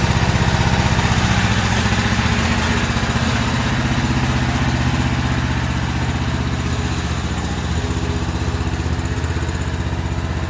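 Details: About a year old commercial Toro zero-turn mower, twin engine, run outside after a no-start repair with the old spark plugs still in: uneven, lumpy chugging about three pulses a second, and it still seems to be skipping; cause unconfirmed.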